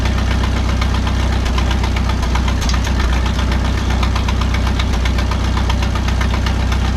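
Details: 1951 Farmall M tractor warming up after rebuilt carburetor installed, mixture screw about 1.5 turns out: heavy low thump about three per second coming and going; hesitation apparently fixed but new intermittent knock, location and cause unknown.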